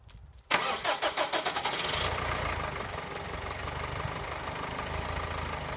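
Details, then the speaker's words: Subaru Forester with a dying battery, push-button start, jump-started with a portable TACKLIFE T6 pack: brisk even cranking of about eight strokes, catching within two seconds into a smooth idle, as it used to sound. "when that sounds a lot more like what it used to before the battery started dying so I'm quite satisfied with that"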